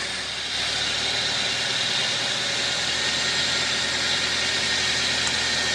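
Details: 2012 Toyota Avanza after overheating on the highway, engine disassembly, reassembly and coolant refill: smooth, steady idle with an even fan hiss on top and no sputter or gurgle; engine running healthy after repair.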